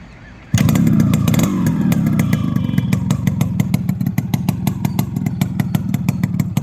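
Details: Restored and serviced Yamaha RXZ two-stroke with a custom-made silencer: catches and settles into a crisp, even crackle with sharp, regular exhaust pops, no misses or rattles; normal running.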